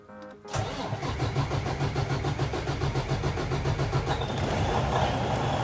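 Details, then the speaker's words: Freightliner Cascadia DD15 diesel semi truck after an overnight drain, oil change and fuel filter change: cranks 3 to 5 seconds, catches and settles into an even, steady run with no misses. "3 seconds. And I got it running. 3 to 5 seconds. That's all it turned."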